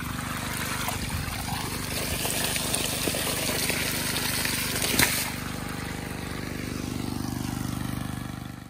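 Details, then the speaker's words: Generac 79cc gas water pump, repaired months earlier with new carburetor, spark plug and adapted air box: pumping out a basement with an even low engine drone steady under gushing water, no knocks, working well. "just pumping up my basement now so it's been a few months since I fixed this I fix it on Christmas and now it's April and I'm putting it to work and it's working pretty good"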